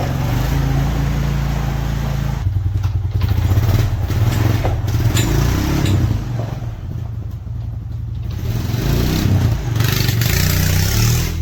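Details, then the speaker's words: Honda Foreman ATV single-cylinder engine idling outdoors after an oil change, run to confirm the fan cycles following a fan temperature sensor replacement for overheating. Steady thumping with some throttle changes and no knock or misfire; healthy running. "All right, the oil change is done, so we'll fire it up and kick it outside and let it run. Make sure that fan goes on and off."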